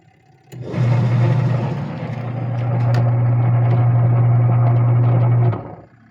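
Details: Sharp Gigawash 6 5kg washing machine after pulley replacement: the motor starts, settles into a steady low hum for about five seconds, then stops cleanly, with no squeal or slipping.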